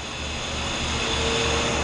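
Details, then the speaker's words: Sitek 2300 spin rinse dryer with 4-pole insert rotor, at 1800 rpm dry: only a soft, even rushing sound with faint steady hum, barely audible, no knocking or wobble; normal smooth high-speed spin. "and there we go perfect look how smooth it is you can actually if i had my back to it i couldn't even hear it running it's so nice"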